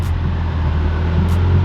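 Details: Salvage Subaru WRX after a Mishimoto front-mount intercooler and Cobb cold air intake install, idling outside in the low 20s: a low, even hum with no misses, ticks or hunting. No codes found; normal idle.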